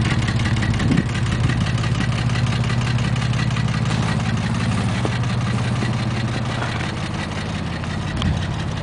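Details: 2000 Porsche 911 (996) Millennium, 110,000 km: even idle carrying a faint repetitive tap roughly twice a second under the exhaust drone; engine knock, origin unclear.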